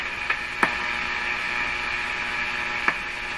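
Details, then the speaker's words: Hallicrafters S-40A shortwave receiver on an isolation transformer, during death-capacitor checks: a steady buzzing hum from the speaker with sharp clicks over it, which disappeared when a connection was placed; hum in the audio, source not pinned down. "I hear a hump faint hum and that home disappears entirely when I put this here a little bit unexpected"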